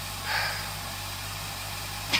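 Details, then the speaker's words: 2008 Honda CBF1000 after a hard no-start, the fuel pump disconnected and reconnected; plugs possibly soaked in fluid, cause still uncertain. A quiet, steady hum with no stumble or misfire as the engine now idles smoothly and evenly. "but there's something funny going on I still I'm still not sure what what's going on with this bike but it started up it's running"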